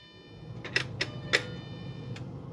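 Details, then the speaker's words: 2007 Jeep Grand Cherokee 3.7L after injector replacement for a P0202 code, fuel pump relay reinstalled, key cycled to prime before first start: a few sharp relay clicks over a faint pump hum; normal priming. "clickety clack don't talk back all right ran a couple Cycles there pump looking pretty uh good"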